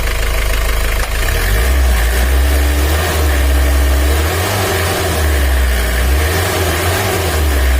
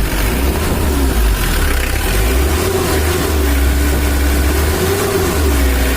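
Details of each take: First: 2013 Mitsubishi L300 diesel with blow-by, complaint of weak pull, rough sound and high fuel use: heavy, steady cold idle before warm-up with a rough, uneven clatter on the low thrum, said to be oil not yet circulated. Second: 2013 Mitsubishi L300 diesel after adjustment: low, steady idle with an even beat and no shake or stumble; idle lowered and now stable, no longer shaking as before; normal idle.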